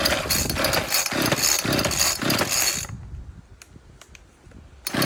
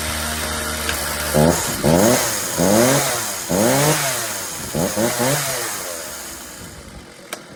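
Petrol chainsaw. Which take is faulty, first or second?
first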